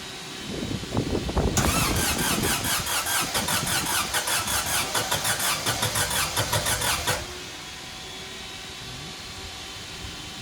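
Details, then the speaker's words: VW 1.6 naturally aspirated diesel swapped into a Ford Ranger, first start after rebuild with a new piston and cylinder head following a shattered cylinder 1 exhaust valve: after cranking, loud uneven clatter pulsing two or three times a second, vibrating far more than normal. Cause suspected, not confirmed. "yeah normally vibrates a lot but that seems like a lot more than normal more vition"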